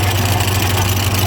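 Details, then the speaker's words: Ford 515 sickle mower on a tractor, freshly greased and test-run: even, steady low drone with no big rattles or knocks, runs smoothly and sounds good; drive belt is old and cracked, due for replacement. "honestly it sounds good no weird big rattles or anything"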